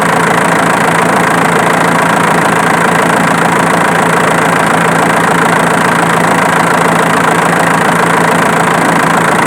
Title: #Como achar barulho no motor? usando uma câmera estralo não era na bomba injetora sim no alternador